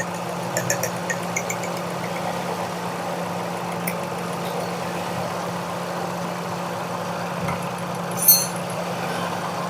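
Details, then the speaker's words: Car with missing and jerking that returned after every plug cleaning, heard at idle: steady idle with an uneven, lumpy beat and a stumble near the end; several cylinders not working, and the head gasket was found blown between two cylinders, leaking compression. "पीछे ले आए इधर ले, ये आवाज़ करीब करें, गाड़ी में फायर कर रही है आवाज़।"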